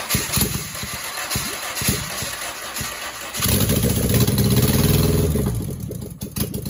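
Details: Rebuilt 2270 RAT engine (main bearing failure from oiling problem; heads, align bore, rods, balancing, clutch, machined flywheel) on test stand: initial clatter, then steady even idle, no knocks, good oil pressure.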